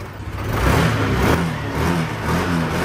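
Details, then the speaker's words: Yamaha NMAX V2 scooter that only cranked without starting for two months, now fixed: catches, builds smoothly and holds a clean rising rev with no sputter or misfire. "it's alive! It's alive!"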